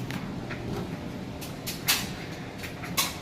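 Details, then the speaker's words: Maytag electric dryer tumbling a full load of freshly washed clothes: low soft drum rumble with occasional muffled thumps, no shakiness, imbalance, squeal, scrape or banging; normal drum tumbling. "you can hear, with a full load of clothes. Still sounds excellent. There's no shakiness at all. There's no imbalance on it, and no squealing."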